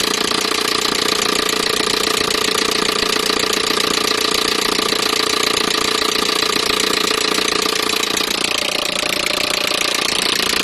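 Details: Peugeot 307 1.6 petrol engine at idle with a sharp, regular ticking knock about three per second riding steadily over it; engine knocking, cause unknown.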